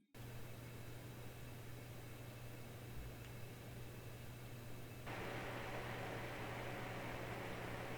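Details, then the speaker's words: Noctua NH-L12S cooler replacing the stock AMD Wraith Spire in an ITX PC, at idle and during video export averaging 52°C. Soft, even airy hush with a faint low hum, slightly louder under load, no rattle or whine; quieter than stock. "that's definitely much better than the md stock cooler"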